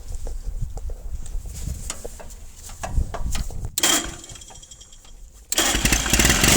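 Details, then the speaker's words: 1950s Caterpillar D4 bulldozer, sat at least 20 years, pony starting motor running on a temporary fuel line after a severed line was found: ragged, uneven popping that nearly dies then surges; primer bulb runs dry, fuel starvation, running rough. "Give the primer bulb another pump. We're not flowing enough fuel here to keep the pony happy. Yeah, that bulb's dry again."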